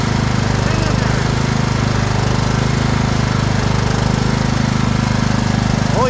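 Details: Craftsman LT2000 riding mower: steady fast single-cylinder beat with a firm low thrum, holding even speed without stumbles; running smoothly.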